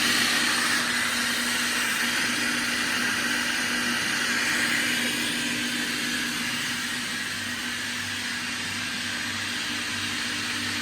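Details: 2005 Kaeser SK 21 11 kW screw air compressor, 15,239 total hours (about 5,000 under load), fully serviced: steady hum with constant mid-pitch drone and airy hiss, even throughout, no rattles or knocks; normal running.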